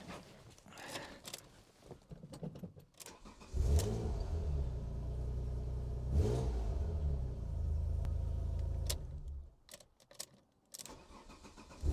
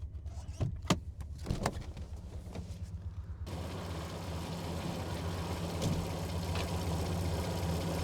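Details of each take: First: Alfa Romeo GTV 3.0 V6 Busso cold start with induction kit still fitted; short crank, catches and settles into even low idle, earlier squeak gone (owner wonders if intake-related); shuts off and restarts cleanly; normal cold start. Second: Alfa Romeo GTV 3.0 Busso V6 with an aftermarket air induction kit, microphone under the bonnet while driving: deep engine drone swelling under acceleration with loud intake roar over the motor.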